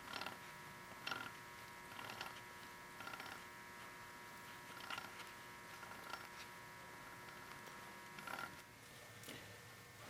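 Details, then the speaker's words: 1979 Triumph Spitfire 1500 differential, about 28,000 miles, fibre bits in the gear oil and a rumble: right axle turned by hand gives a rough clunking rasp about once a second; worn drive shaft bearing. "turn the right one I got it clunk clunk definite the flat bearings or I don't know how that can be bit"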